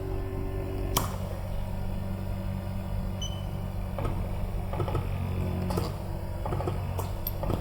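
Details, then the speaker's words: Mychway 5-in-1 ultrasonic cavitation RF slimming machine (LY-54K2/LY-54K2S), suction mode 3 (suction with release): steady low pump hum with a soft release puff every one to two seconds; suction pump cycling normally in pulsed mode. "and the model 3 you you can feel very excited and it will also release"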